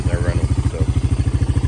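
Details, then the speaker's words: Honda FourTrax 300 ATV, bought at auction and revived after sitting, brakes not working: even, steady single-cylinder putter with no misses or knocks, runs perfect like a sewing machine; normal clean idle. "but I I am happy this thing runs perfect sounds like a sewing machine sitting"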